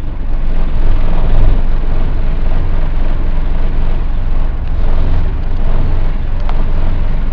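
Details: Dennis Dart SLF diesel bus, recorded 2010: the deep diesel idle throbs unevenly and lumpy instead of settling into a steady beat, so the engine is idling rough.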